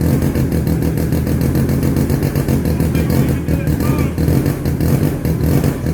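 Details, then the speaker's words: 1970 Arctic Cat Panther barn-find snowmobile with a 303 cc Sachs rotary engine, just started on choke after two primer pumps: a steady, even low putter with a regular firing beat and no knocks or misses; runs healthy. "that happened way better than i thought it was going to"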